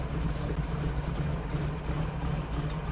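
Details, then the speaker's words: 1950 Chevy truck stovebolt inline six after new gaskets, plugs and valve adjustment, cold start at about half choke: steady low rumble and even exhaust beat at idle, runs much better than before the tune-up. "It sounds so much better."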